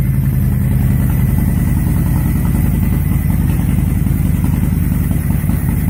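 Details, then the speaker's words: 2005 Honda VTX after main jet pulled, airflow readjusted and Cobra slip-ons fitted, before the new breather: loud, steady low V-twin idle with an even lumpy beat, no misses or knocks. Runs cleanly; air mix may need fine tuning. "All right, she runs. So next up, we'll put that new breather on, and might have to fine tune that air mix, and we should be good to go."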